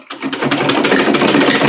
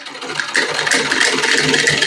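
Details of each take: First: Old sewing machine running empty without thread clatters loudly and rapidly from worn, loose linkages underneath; it also fails to stitch or feed the cloth. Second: Old sewing machine after tightening only the loose lower parts, no other settings changed: steady stitching clatter about four beats a second, no heavy knock; previously very noisy, not stitching or feeding cloth.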